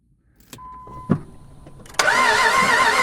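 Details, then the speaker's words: Jeep Grand Cherokee 4x4 auction trade-in cranked with starting fluid: steady ragged cranking roar that never runs; coolant bubbles show compression escaping into the cooling system, suggesting blown head gasket and low compression as the no-start cause. "so that's compression escaping the engine and going in through the cooling system so it's i mean that would tell me it's got a blown head gasket and you've got low compression that's probably why it's not starting"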